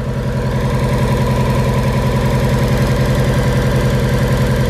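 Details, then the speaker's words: Freshly built forged turbo Mazda Miata idling at about 1100 rpm before warm-up and the dyno: a steady, even idle with a low regular pulse and no vacuum-leak hiss, ticks or knocks. "All right, so now this thing's idling at a pretty decent ballpark. I want to listen for some. I don't hear any vacuum leaks here, so that's a good sign."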